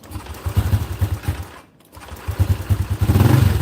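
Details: Honda Click 125 LED with PCX crankshaft, 60 mm piston with stock stroke, freshly assembled, tuned for E85, warmed up about 10 minutes: even single-cylinder putter at idle, clean throttle blip, no knocks or rattles; healthy.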